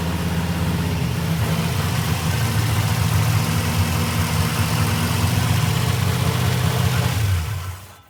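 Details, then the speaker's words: First-ever start of a freshly built Ford small-block 427 Windsor V8 street car, timing unknown: loud lumpy V8 catches on the first try after a couple of throttle pumps, runs strong and steady, then shut off. "Off the gas. Oh, okay. All right. Fire it back off. That's crazy. First damn try. She is crispy, baby."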